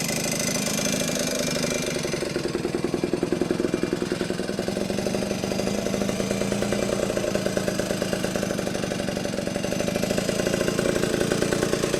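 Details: Vintage Yamaha GT80 Enduro (1977–79, exact year unknown), small two-stroke, first start after sitting unused a while, oil just changed, on choke: crisp fast ring-ding popping, steady with slight rev rises, little smoke; normal clean idle.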